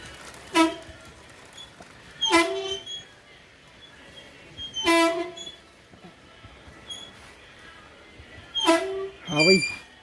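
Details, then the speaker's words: Royal Enfield Himalayan, off-road used, standing 4-5 days: rear disc brake gives short chirping squeaks about every two seconds when rolled backwards; fix is cleaning and inspecting the brake pads. "तो जैसे हम कभी कभी गाड़ी 4-5 दिन खड़ी कर देते हैं ना, और खड़ी करने के बाद जब गाड़ी को बैक करते हैं तो एक आवाज़ सी आने लगती है ब्रेक के अंदर से।"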